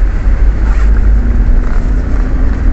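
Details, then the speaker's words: 2008 Toyota Innova 2KD diesel after injector/rail-pressure repair, climbing a hill in Cebu City under load: steady strong low drone, no knock or misfire; now powerful and healthy. "So ngayon sinubukan naming paakyatin ang sasakyan dito sa Marco Polo lahog Cebu City"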